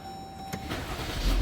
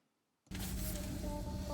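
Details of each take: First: Jeep Grand Cherokee WK, 3.6 V6, cylinder misfire code: brief lumpy start with stumbling low beat as it catches, one cylinder repeatedly misfiring; ignition coil or spark plug suspected; misfire at start-up. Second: Jeep Grand Cherokee WK after all six spark plugs were replaced to fix a misfire and heavy shaking: after the test drive the engine note is even, quiet and smooth, climbing without stumble, showing normal running.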